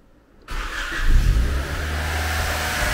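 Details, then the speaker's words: Honda Civic EJ1 with D16Z9 engine just after installing a Skunk2/AliExpress intake manifold, stock injectors, no tune: the engine catches, flares, then settles to a steady but fast idle. The idle is high because the idle screw still needs adjusting. "le ralenti est un peu haut, effectivement, mais c'est normal, il faut encore régler le ralenti."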